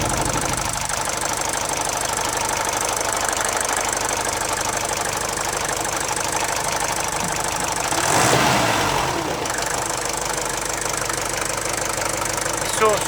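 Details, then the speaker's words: Mercedes OM601 diesel after head gasket replacement restored oil feed to the timing chain tensioner: even idle with usual light diesel clatter, steady speed, no chain rattle; normal idle. "Вот наш «Мерседес». После замены прокладки головки блока цилиндров. Здесь он работает"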